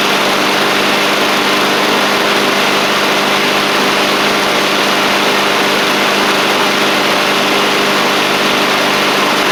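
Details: Husqvarna push mower with a Honda GCV160, in a final test on a cold January day after a part was turned the right way, plus a new oil filter, oil change and sharpened blade. An even, constant buzz with no surging, misses or rattles. Normal running.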